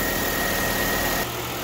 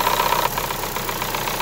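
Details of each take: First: Chevrolet Sonic 1.8 after replacing the faulty exhaust camshaft solenoid (code P0366). Even, smooth idle with a steady hum and no ticking left; the ticking is fixed. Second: Chevrolet Sonic 1.8 with floating idle and an exhaust camshaft code (P0366), cam sensors already replaced. Sharp ticking about four per second at idle from the top end.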